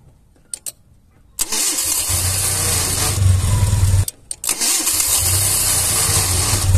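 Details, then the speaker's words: Car engine cranking and idling: raspy metallic whir over the idle as the starter bendix drags on the flywheel, because the damaged starter solenoid engages the bendix but lacks the force to retract it. "el siguiente sonido proviene de la marcha es una arrastre entre el volante de Inercia y el bendix de la marcha se escucha de esta [Música] manera"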